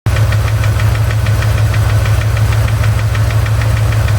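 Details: Chevy ZZ4 350 V8 at idle after valve lash adjustment: heavy, regular knock or tick about two per second, a low thud apparently from the driver's side; owner unsure whether piston slap or a spun bearing.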